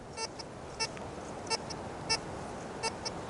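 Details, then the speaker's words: Tesoro Tejon metal detector at about a third turn negative ground balance, sensitivity not fully up, testing on a 12-inch quarter: sharp high beeps and falsing chirps about every half second over hiss; detector chattering. "but it does chatter quite a bit if you can hear that"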